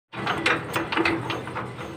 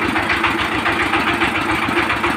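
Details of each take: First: 20 hp single-cylinder diesel power tiller engine after valve clearance adjustment: even clatter at steady idle, the earlier drum-like thump gone; normal idle, running freely. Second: Steady idle thumping about 210 times a minute with a hard tap each beat from a 20 hp single-cylinder diesel power tiller engine; drum-like knock and missing from rocker valve clearance out of adjustment.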